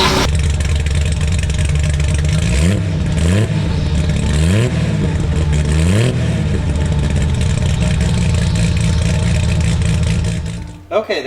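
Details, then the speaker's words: 1972 TVR 2500M, revived after long sitting, new battery, on choke: catches quickly, a few clean even blips, then settles to steady idle. Runs normally; hydraulic clutch works in forward and reverse. "car runs I check that it does go forward and backwards so the the hydraulic clutch is working"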